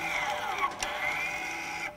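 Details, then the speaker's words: EPB calibration with service tool after new pads: a thin electric whine shifting in pitch and pausing as both caliper servos drive back and forth to find position and set the pad-to-disc air gap; normal. "you can hear the servo going backwards and forwards and what it's trying to do is actually work out where it is and then it's setting the air gap between the pad and the disc"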